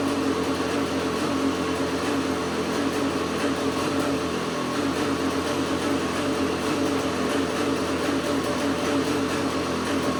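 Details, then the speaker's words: KTM 250 SX two-stroke engine in an Outlaw quad: high, buzzy note wavering slightly in rpm. Owner suspects an air leak, possibly the power valve, which was not rebuilt with new O-rings; unconfirmed. "do you hear that little fluctuation in RPM? It almost makes me believe that it is getting a little bit of air somewhere."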